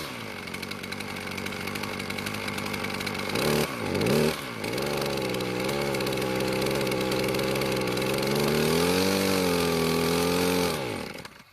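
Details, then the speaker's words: Poulan Pro two-stroke string trimmer with worn, low-compression engine, after carburetor adjustment and cutting overly thick line from over 24 to about 17 inches: uneven buzz, revs sagging and recovering, only marginally better; more carb tuning planned from cold start. "considering how worn out the engine is I'll continue tuning the carburetor once it cools down again for a cold start"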